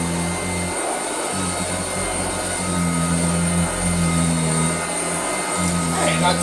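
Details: Vintage Hoover Junior 119 vacuum cleaner test-run after a mains cable replacement, fitted with a temporary test cable: steady low motor hum at even pitch with constant airflow rush, no stumbling or grinding; normal running.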